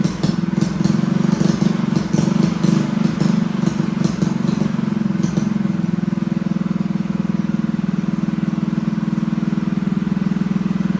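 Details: Newly assembled Honda GX200 clone engine on a bench stand, started with choke on: uneven, loping idle around four pops a second; runs lean from a clogged carburetor jet, owner says it needs jetting and will step the jet up one size at a time.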